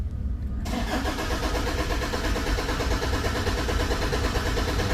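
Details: Toyota Fortuner diesel that died while driving: cranks steadily, about three beats a second, but never fires; rail pressure does not rise despite replaced SCV valve and okay injector values; no fault codes stored.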